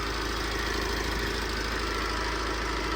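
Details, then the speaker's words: Tata 2.2 140 diesel idling with steady high whine over clatter, check-engine and battery lights on, alternator not charging: worn alternator bearing and A/C tensioner pulley bearing at engine front; alternator replaced. "แล้วก็มีที่ดังหน้าเครื่องก็คือลูกปืนไดลูกปืนลูกรอกตัวตั้งคอมAir"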